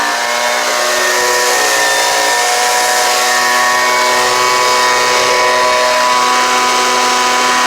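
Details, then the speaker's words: Homelite UT09250 two-stroke after carburetor replacement, warmed up: steady high-pitched drone at even speed without surging or dropping out; runs clean, though it could use a little tuning to wind out more. "now that's pretty good to me uh it seems like it could use a little tuning to wind it out just a little bit more"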